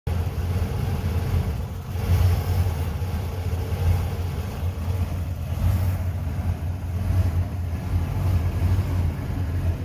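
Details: 1993 Ford E250 van, 5.8L V8, after 20–40 minutes running: deep idle lumbering unevenly, swelling and sagging every couple of seconds, rough hunting idle before stalling; new IAC valve and EGR blocked, no change; fuel filter also replaced.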